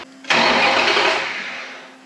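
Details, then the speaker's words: Off-road hot rod buggy with Mopar 5.9 (360) Magnum V8, exhaust detached: sharp starter engagement, then smooth, even cranking that fades without firing; starter turns engine over healthily. "that sounds good I think I need to reattach the exhaust and stuff and then we can fire it up"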